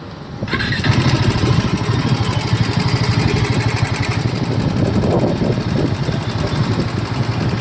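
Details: Royal Enfield Himalayan 450 at 12,000 km starts and idles with a rough, busy clatter over the firing beat. The mechanical source is unclear: abnormal engine noise.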